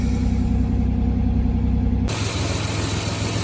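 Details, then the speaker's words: 2006 Chevy Equinox just after replacing apparently original, cracked spark plugs with new gapped plugs: even, steady idle with smooth low hum and no skips or shaking; already sounds happier, running as it should. "Now we'll start it up. The plugs are all in. Well, it already sounds happier."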